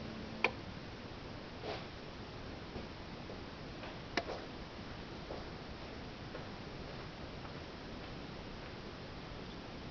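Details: 2013 Hyundai Genesis Coupe 3.8 GDI, ignition on, engine not running: a few faint sharp irregular clicks as the gas pedal is lightly pressed, from the electronic throttle body; owner thinks it abnormal, plans to replace the throttle body and motor.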